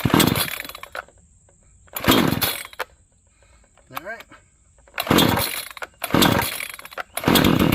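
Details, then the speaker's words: New Proyama 62cc chainsaw, started cold with the choke and noted as having higher compression: crisp full revs about a second long that drop cleanly to a low idle between bursts; it cranked up easily and runs strong. "YOU CAN SEE THAT IT CRANKED UP REALLY EASY."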